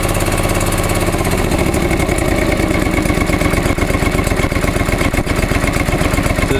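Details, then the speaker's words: Restored John Deere 445 after replacing ethanol-eroded fuel hose on tank pump; even, regular pulsing at about four beats a second, no misses or knocks: normal running. "you can tell it's a pretty well well running machine"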